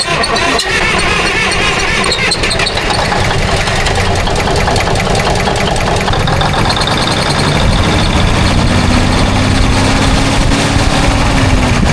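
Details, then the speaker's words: 1981 Kenworth diesel just started on ether after topping off fuel: rough idle with a heavy repeating deep knock in step with the engine; owner suspects main bearings, unconfirmed. "Boy, that engine doesn't sound good. Almost sounds like bearings. main bearings."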